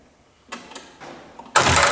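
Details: Ford 5610 tractor, believed 1983, with golf-cart batteries and extension-cord battery cables, smoke seen at a battery terminal, injector lines cracked. A few sharp, irregular clicks, then a sudden rush as it tries to turn over. Clicking when cranking; bad electrical connection.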